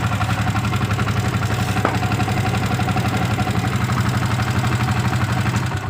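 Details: Yamaha Vixion (new model) brought in for a rough engine noise, after reinstalling the dynamo cover bolts: a steady, even low drone with a soft regular pulse, no harsh grinding; now sounding smoother.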